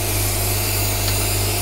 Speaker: Vous voyez là quand j'ai ouvert petit à petit, on entend l'air s'échapper et je sens dans mes oreilles la pression.